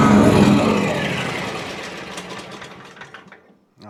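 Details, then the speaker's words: John Deere X300 that pops and bogs under load: with one spark plug lead removed, the engine fades and dies within about three seconds on the remaining cylinder, which a spark checker then shows has zero spark. "Okay, so that means that there's something going on with that cylinder likely."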